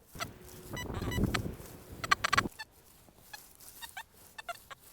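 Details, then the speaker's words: XP Deus 1 metal detector with HF coil, tweaked Hot program, audio response raised to 7: after handling noise, random sharp crackles, spits and pops; far too aggressive, raises every signal including iron. "these little spits and pops have now entered into our world. As you can hear there, that's far too aggressive."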